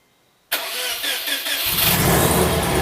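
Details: Supercharged Subaru Outback, EJ25 DOHC, first start with break-in oil after oil pan work, with the AC belt a couple of ribs off: it cranks, catches, then a loud, harsh high squeal rides over the idle.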